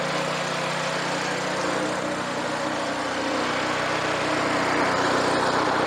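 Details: Free roadside rototiller, previous owner said it ran a minute or two then died; started on full choke with fuel: small single-cylinder engine runs even and steady at constant speed, no hunting, missing or surging; healthy.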